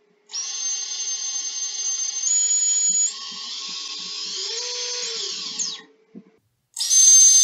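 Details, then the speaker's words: Three-inch quad on the bench, props off, motor one spun up from the motors tab to check for bad bearings: clean high steady whine rising and falling with throttle, no rasp or grind; bearings sound good. "alright and then we're just gonna spin up motor one that sounds really good"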